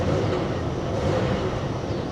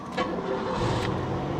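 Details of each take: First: About-1992 Cadillac DeVille bought sight unseen at auction: rough idle, then uneven revving surges that sag; engine cuts out and hesitates on first throttle tip-in, check engine light now off, cause unknown. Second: Cadillac DeVille with 77,000 miles, started after boosting from a booster pack: catches at once and settles into a steady even idle with no misses or knocks; normal engine start.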